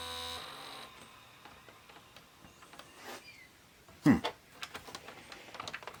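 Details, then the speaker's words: Faulty Sony SLV-676UC VHS VCR: scattered clicks and whirs, a sharp clunk, then more ticking as the deck cycles without settling into play; no picture or sound, owner suspects it is not detecting the tape. "And I think we have a problem with it not seeing the tape, the movie in it."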